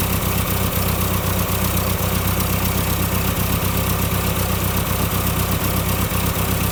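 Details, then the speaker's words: Ford Select-o-Speed tractor (1959 871 or 1968 3000 three-cylinder) idling in neutral during transmission band adjustment: a steady, even low thump at about 900 rpm against an 800 rpm spec, slightly high idle. "if you see there I have it uh loosened up and I have it idling at about 900 RPM supposed to be 800 but that's not too bad"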